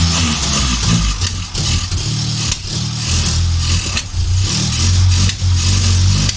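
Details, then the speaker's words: Morris Minor van, first start attempt after sitting: low engine note rising and falling unevenly with throttle blips, catching and faltering. It runs only on fuel poured in, because no fuel is reaching it from the float bowl. "that runs i can't seem to get any fuel into it from the float bowl"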